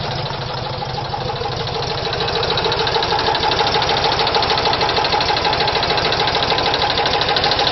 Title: VW Type 4 engine knock